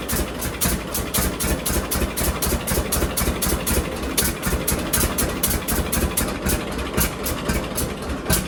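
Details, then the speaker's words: John Deere D two-cylinder tractor idling after both Autolite plugs were cleaned of black deposits and re-gapped wider, toward the 0.030 in factory spec: slow, even pop-pop of about two beats per second, no skips or backfires. Normal idle. "Say what you will, but I think that's running a lot better. I don't hear it missing at all anymore."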